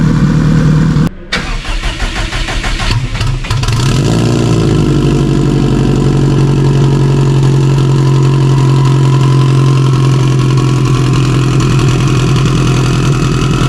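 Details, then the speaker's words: Stock OEM Subaru EJ257 longblock in a 1100+whp STI drag car: cranks briefly, catches around four seconds, settles into a steady, even idle with a smooth low drone; normal idle. "she sounds good now let's get it got it it's bleeding off real quick but she's nailing real good"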